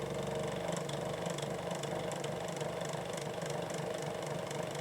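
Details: SMC TF-6 6-inch 2-speed desk fan, likely late 1990s, extremely high hours; loud hum with rough rattling clatter ticking about twice a second from bearings with excessive play, also out of balance – worn motor bearing rattle.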